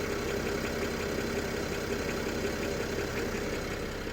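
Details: BMW N53B30 cold start: after 20-30 s idle drops to 700 rpm and a light, uneven metallic clatter, about two per second, appears, source unclear (oil pan or exhaust manifold area); eases with slightly higher rpm, nearly gone when warm; oil pump replaced, rod bearings good.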